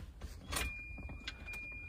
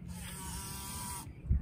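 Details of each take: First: Volvo 240 that died while driving, cranking after fuel pump relay swap: starter churns steadily nearly three seconds under door chime, never catches, no fuel pump hum heard; crank no start, relay ruled out as cause. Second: Volvo 240 with no-start after dying: paperclip jumped from always-live fuse 6 to fuse 4 gives a steady high electric whine for about a second; in-tank fuel pump runs normally.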